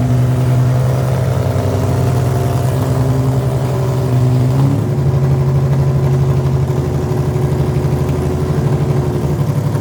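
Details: Widebody BMW E30 on MegaSquirt ECU with fuel pump rewired to factory wire, steady low idle hum with a brief pitch dip midway that recovers; fan works, fuel pump cycles properly, timing not yet set; normal idle.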